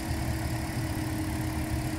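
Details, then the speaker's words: 2012 Toyota Corolla after new coil on cylinder 3 and spark plugs torqued to 15 ft-lb: smooth, even idle with steady low hum, no stumbles; misfire fixed. "now we're gonna go ahead and start it up okay as smooth as can be"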